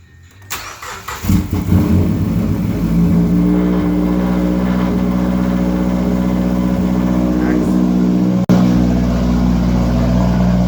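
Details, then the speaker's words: Mazdaspeed 3 with AEM methanol injection, after installing a methanol solenoid and refilling meth/water following nozzle/check valve failure: engine catches after brief crank and settles into steady, smooth idle with no misses; idles much better than before (previous fuel-system-too-rich codes). "so it seems to be idling much better we'll get rid of these codes that we did have for fuel system too rich and see if they come back"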